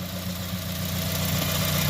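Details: 2015+ Subaru WRX (FA20DIT) after the engine was pulled and an ACT aftermarket clutch fitted: a steady, low, even idle hum with no knocks, misses or rattles. The engine runs great.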